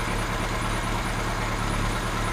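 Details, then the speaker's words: Kawasaki Z1 four-cylinder, new rings, workshop run-up with air filters off after carb slide gap setting: settles into a smooth, even idle with steady low rumble, no hunting or misfire, dropping back nicely after revs. "the revs are coming up a bit higher at the same position on the idle screw [Applause] and it's dropping down nicely on the dang Rev"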